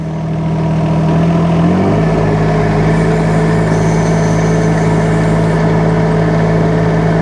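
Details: UHI UME12 mini excavator with 13 hp Yanmar diesel, tracking and going from about one-third to full throttle: climbs smoothly in about a second, then holds a steady, even drone with no knocks or misses; healthy engine.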